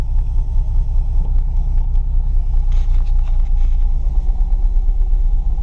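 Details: Project Mustang V8 first start after installing a new fuel pump: low steady rumble with even beat, no knocks or misses; engine caught and running smoothly.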